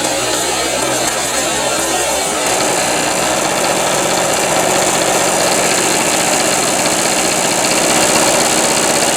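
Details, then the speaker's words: Harbor Freight Storm Cat 2-cycle generator, drill-started cold, running on choke: fast, raspy, slightly uneven buzz with a harsh high edge. It won't take the choke off yet and smokes heavily. "Take the choke off slow. Doesn't want the choke off yet. Or maybe it won't run with it off."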